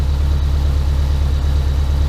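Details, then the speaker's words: Subaru Impreza boxer engine rebuilt with SOHC heads, first start after over 2 years: low even idle rumble, steady beat, no knocks, ticks or hunting; idle just dropped, scan tool shows very low load, check engine light on. Normal idle. "It's running nice, idle just dropped. I've got a good working tach."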